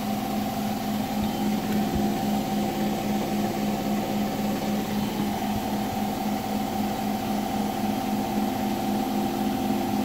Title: Hotpoint bed + bath final 1400rpm weird knocking noise at 1400rpm